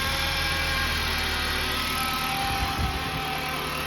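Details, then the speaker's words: 2013 Jeep Compass with a bad transmission, running: thin, steady high-pitched whine over even engine running that does not change, coming from the transmission; transmission whine. "The whining's coming over here from the trans."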